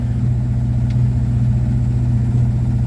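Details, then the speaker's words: 1954 Ford Popular 103E sidevalve engine, fired first turn of key with choke held on: even low idle burble, steady beat, no misses or knocks; ticking over smoothly, normal idle. "First turn of the key, choke on with the old trusty close peg, and it fired straight up."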